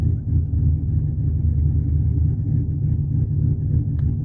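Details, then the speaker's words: 2011 Cadillac CTS-V Coupe, about 34,300 miles, with headers and straight pipes, no catalytic converters; the exhaust cutouts are opened by a programmed remote, giving a deep, heavy, steady loping idle with no misses or knocks: a loud open exhaust on a healthy V8. "and then the cutouts are programmed into the openers one and two and this opens up the cutouts"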